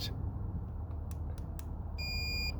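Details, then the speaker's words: AMPROAD 4000A jump starter, clamps touched together to test protection: a few sharp clicks, then one high half-second beep; safety warning working as intended. "and nothing either it just starts beeping at us so that safety works good"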